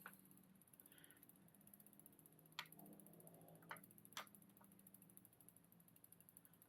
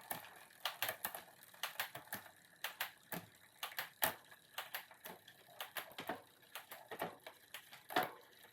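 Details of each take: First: Bicycle rear derailleur after adjustment: soft, even drivetrain ticking with no jumping or chain skipping while walking through the gears, creeping stopped, so rear shifting is now clean. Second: SRAM-equipped bike's rear derailleur one tooth out of index: sharp, uneven metallic clicks, two or three a second, as the chain catches on the cog, wanting to shift up.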